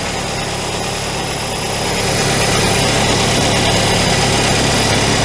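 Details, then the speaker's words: Carbureted classic VW Scirocco idling after sitting a year, with a split vacuum line temporarily plugged and loose carburetor flange nuts: a thin, steady high chirp over the low rumble from a vacuum leak down by the carburetor. "We'll get that sorted properly. But for now, I can hear the vacuum leak chirping."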